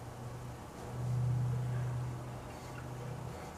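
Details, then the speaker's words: Restored GE CK26 Monitor Top refrigerator compressor drawing 0.8 A: mains hum swells loudly about a second then eases; strained. Suspected excess SO2 with blocked float overpressuring high side; not confirmed. "Sounded like it was building up too much pressure on the high side. Heard that noise start up, so I shut her down."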